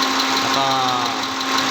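At idle a sharp, even tick repeats about five times a second over a steady hum; the V6 has a knock, cause not yet pinned down.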